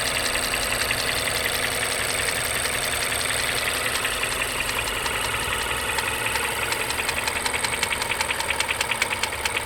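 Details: Mazda 3 BP petrol engine at idle between 550 and 900 rpm, hydraulic lash adjusters already replaced, with a fast metallic rattle growing more distinct; engine rattle at idle.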